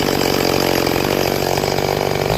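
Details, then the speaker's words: Rebuilt Stihl MS440 chainsaw with a freshly tuned manual carburetor: a high, steady, screaming rev holds clean in the cut without bogging or four-stroking, then drops off; running strong. "Um, but this thing is running lights out, y'all."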